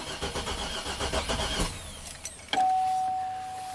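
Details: 2007 Buick Rainier, 4.2L inline-six, 175,000 miles, with a replacement engine from a 2008 Trailblazer. It cranks with even pulses, then a ragged stumble and a chime, while the CKP sensor low-reference wire is grounded as a test. Crank-no-start, cause unconfirmed.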